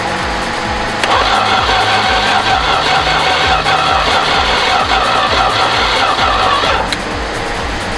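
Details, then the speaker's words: Slant six that hasn't run in 21 years, sitting in a field, boosted from a truck: steady rhythmic cranking at about two and a half pulses a second with no firing; no spark because the ignition coil was left disconnected. "a little faster but it's not firing oh i forgot to put the coil on okay so now we actually should get sparked"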